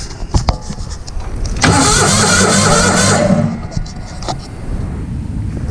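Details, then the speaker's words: Vintage Hydra-Mac mini skid steer with points ignition and low battery: clicks, then about two seconds of fast, even cranking that never catches; filthy points barely opening giving weak spark; crank no start. "It's got points. It ain't electronic ignition, and I bet they're filthy."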